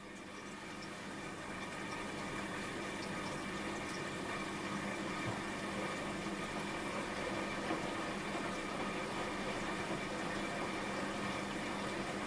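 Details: Washing machine after fitting a replacement drain pump, filled to the bottom of the drum and put on spin: steady motor hum with rushing water building over a couple of seconds, even and uninterrupted; the new pump drains normally and the machine now fills and drains.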